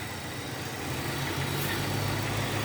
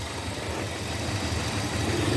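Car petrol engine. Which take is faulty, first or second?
second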